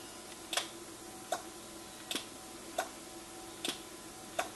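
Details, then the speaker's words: NuTone IMA4406 intercom master station, door talk button pressed: faint sharp clicks, about six in five seconds, over quiet hiss; relays chattering instead of giving one clean click. Relay chatter. "And it may be a little hard to tell, but what it's doing when I push the button down, instead of going click, it's like going click, click, click, click, click, click."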